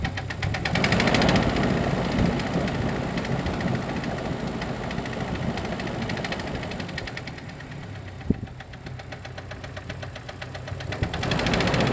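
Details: 2.5 L four-cylinder petrol Jeep Cherokee XJ (facelift) at idle: sharp, fairly regular knocking, roughly four per second, over the idle; piston slap from a broken-off piston skirt in cylinder 2.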